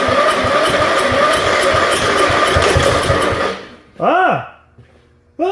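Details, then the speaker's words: 1974 Dynastar lawn tractor barn find, sat about 30 years: single cylinder firing in a quick, slightly uneven beat for a few seconds then cutting out; engine runs. "well how about that she don't sound too bad there does she well be dog gone after 30 years she does run"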